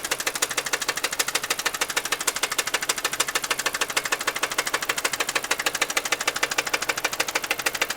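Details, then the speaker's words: Engine knocking at idle, heard up close in the engine bay after three days of repair work, with a small oil leak nearby: a sharp, very regular knock at about three per second; cause unknown. "You hear that knocking? It's right in here."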